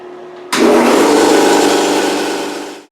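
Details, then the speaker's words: New two-piston oil-lubricated air compressor with muffler, about 14 CFM at 90 psi, first start and 30-minute break-in run with valve open: motor kicks on into steady, even pumping chatter, then spins down cleanly; normal running. "30-minute run-in is done. It sounds good to me."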